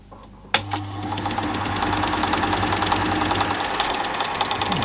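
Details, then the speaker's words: Old Super 8 film projector under repair: a fast, uneven light clatter of about three beats a second over the motor hum. The belt is not slipping. Irregular mechanical chatter. "that noise sounds a bit punky touch that but it's definitely not slipping the other belt"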